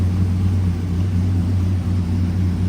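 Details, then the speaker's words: LS V8 truck after an in-vehicle cam swap with new springs, exhaust cutout open, running the old sloppy stage 3 tune on the sloppy stage 2 cam, running pretty lean: deep, even choppy lope, smooth normal cam idle. "The cams are quite different, but not too bad. Listen to that idle, man. Sweet. It is running pretty lean."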